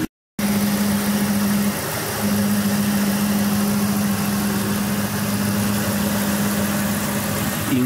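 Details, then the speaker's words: Ford F-250 V8 pickup idling after a broken hose was reconnected; the earlier pressure-cooker hiss and ignition coil noise are gone, leaving a smooth steady low hum, normal idle. "la conectó y seguimos vamos a encender bueno pues ya nuestro motor se oye silencio ya nos escuece es escuchar ese chino"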